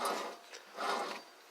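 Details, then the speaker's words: 2003 Lexus GS 300: two rough, raspy grinding strokes as the hub is rotated by hand, from a bad wheel bearing. "every time when you rotated this thing makes a lot of noise"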